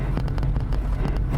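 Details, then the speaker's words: 1998 Chevrolet Corvette C5 driven on a very bumpy road: over the engine drone, sharp irregular clatters and knocks burst with each bump, loose interior parts rattling, source not pinned down. "you can hear there are some strange sounds in this car"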